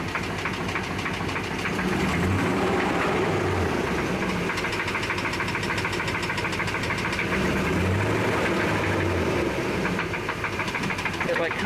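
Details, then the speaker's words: 2007 Dodge Ram 5.7L Hemi V8 at idle: steady tapping knock about three per second, louder from bottom of engine than top, fading briefly with a throttle blip then returning at idle; rod knock. "So, it seems louder from like the bottom of the engine compared to the top."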